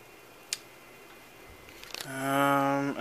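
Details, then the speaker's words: Compaq Presario 5280 desktop PC (circa 1998–1999, possibly Pentium III): clicks, then a loud droning whine that sweeps upward as the optical drive spins up a disc; it sounds sickly, but the disc loaded and read fine. "oh that sounds unhealthy may have to re-record that at a lower speed damn that sounds sickly"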